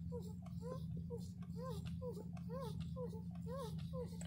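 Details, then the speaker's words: 2000 Toyota Camry, steering column squeak when the wheel is turned: rapid, whiny cat-like squeaks about twice a second over a low engine hum; fixed by spraying WD-40 lubricant. "So you can hear that sound when we turn the steering wheel. We think it sounds kind of like a cat."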